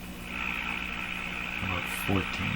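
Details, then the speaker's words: Mohawk Model 1240 five-tube radio fed by a signal generator around 1400 on the dial: buzzy, warbling garble from the speaker with the 1000 Hz test tone barely audible; cause unknown. "so I hear a garble I hear a noise and I can hear the Thousand Hertz tone barely in there so that's what's coming out of the speaker"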